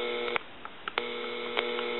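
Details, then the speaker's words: Harris TS22 lineman's buttset after circuit board repair, amplify button on: a faint steady hum under a few clicks from the amplified speaker; normal speaker amplifier hum. "That's because this model still amplifies when you hit the amplify button. It amplifies the speaker."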